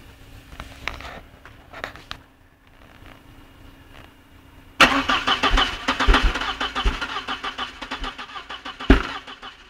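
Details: Volkswagen Passat cranking: starter spins the engine with an uneven chug for several seconds but it never runs; won't start, cause not given.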